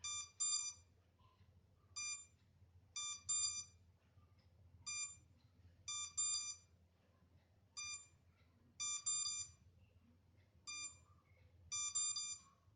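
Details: MJX Bugs 3 drone left without a connection to its transmitter: after some minutes, short high beeps in single and double bursts every couple of seconds sound the lost-signal locator warning.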